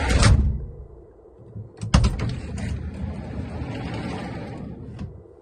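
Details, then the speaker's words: GAZ Sobol 4x4 diesel van, sliding side door that knocked over speed bumps, after adjusting its mounts in the worn oval holes: the door rolls and latches with a soft, dull thud, no metallic bang. "Вы слышали, как мягко? Прям вот этого металлического тыщ нету."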